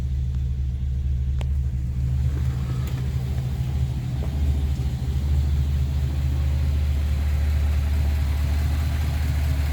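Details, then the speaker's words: Restored 1956 Ford Victoria V8 during a pre-purchase inspection: deep, steady burble with an even low rumble, no misses or knocks, and no smoke. Normal idle. "nice and smooth idles well see no signs of smoke or any issues"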